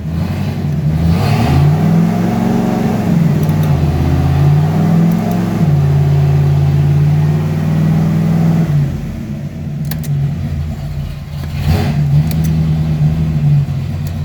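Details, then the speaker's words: 1995 Ford Mustang, newly swapped C4 3-speed automatic, run through reverse, first, second, third and back down after freeing a stuck e-brake, no radiator fans: steady engine drone stepping in pitch through three gears and back; clean, healthy shifts. "Reverse. Now reverse. We're in first. First, second, third, second, first,"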